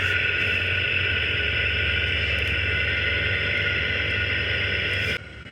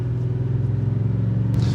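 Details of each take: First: 2018 Ford F-150, wireless chassis-ear transmitters clipped to the front hubs while driving: loud, rough, constant rushing growl with low throbbing rumble from the passenger-side front hub (channel 2); worn aftermarket front wheel bearing, OEM driver side quiet. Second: 2018 Ford F-150 at highway speed after front wheel bearing replacement on the identified side: steady low cabin hum, no growl or whir; bearing now completely quiet, confirming that side was the fault.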